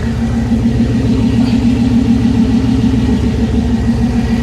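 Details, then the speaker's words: LS-swapped Chevy C10 on ACES Jackpot 2 fuel injection, first start, warming up, new exhaust, deep even V8 rumble with no misses, knocks or ticks; oil leak found elsewhere; normal running. "This thing sounds pretty healthy."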